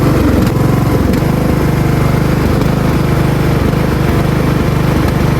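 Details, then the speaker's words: Riding mower engine after its surging idle was fixed by turning the idle adjustment screw: it now idles smoothly at an even, low putter with no rise and fall in speed. Steady idle. "So, as you can hear, it has a crazy surging idle, which is literally as easy as turning this one idler adjustment screw. And now it's running perfectly."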